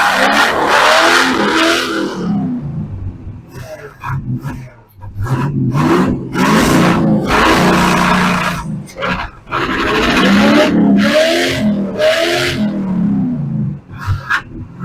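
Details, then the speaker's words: Long-dormant 283 small-block Chevy V8 in a Ford, rusted and previously stuck, after advancing distributor timing, electronic ignition: catches and runs roughly, revved hard several times to loosen the rings. "at least she runs I had to Riv it up a bit to loosen the Rings up cuz the motor has been rusted and was stuck but there we go"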